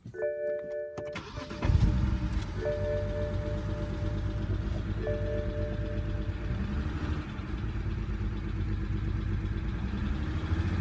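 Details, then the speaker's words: BMW 135i E82 N54, just after engine rebuild: cranks, catches, then slightly uneven idle from cylinder 6 misfire (P0306); still smoky; owner suspects an old part, plans swapping in a new one. "so misfire cylinder 6 seems to be a big problem for now"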